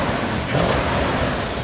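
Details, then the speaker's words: 1970 Plymouth Cuda 440-6 with Comp Cams Mutha Thumper cam, idle set, fluids topped: given throttle, deep lumpy V8 note climbs cleanly and settles back without misfire; normal, healthy revving. "I'm going to give it a little RPM okay give a little arm music to the ears uhhuh"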